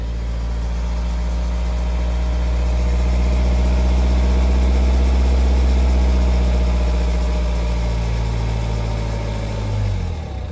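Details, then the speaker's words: 2011 BMW 320d E90 N47 diesel, 135 kW: normal at idle, but at 2000 rpm a faint, regular periodic rattle from the back of the engine about four times a second, early timing chain wear; chains and guides due within 5,000-10,000 km. "as you can hear there's a rattling noise at 2000 rpm and that's the start of that problem"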